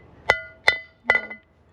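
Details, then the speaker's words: Caravan wheel bearing service: three sharp hammer taps driving the bearing race into the hub; the bright ring fades to a duller thud and the hammer bounces back, showing the race is fully seated. "so you just keep going till you hear this sound [Music] change right that's it so you hear how it's not really tinging anymore do you hear the difference right"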